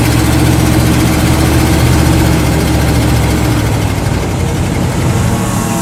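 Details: 1979 Dodge 100 truck, cold, on choke after a choke repair: steady low rumbling idle, slightly fast, with even firing and no knocks or misses. Choke releases after about 3-4 minutes once the manifold heats up.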